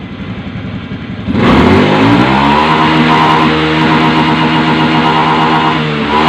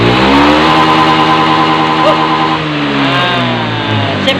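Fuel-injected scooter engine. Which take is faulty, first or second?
first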